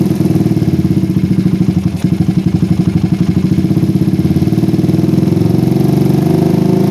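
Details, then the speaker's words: PE24 carburetor motorcycle after moving the needle clip from middle to top position, air screw now about 1–2 turns: even single-cylinder idle thump with only a slight early dip; idle far steadier than before and needs only slight idle-screw adjustment. "idlenya pun berbeda sekali dengan Sebelumnya saya tidak usah nyetting idle dalam-dalam ya"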